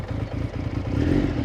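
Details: Triumph Daytona 900 Super 3 triple, first start after four to five months, on choke: short burst catching and settling into an even, slightly lumpy warm-up idle; starts and runs fine.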